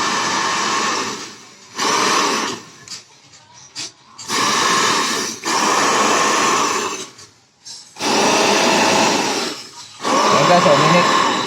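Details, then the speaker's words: Hair dryer that blew only cold air after a drop broke its heating filament coil; after removing the broken coil sections and rerouting the wire, it is tested. Smooth, even blower rush switched on and off, no rattle, and it heats again: normal running. "Ayan guys Ayun Gumana guys uminit uminit uminit"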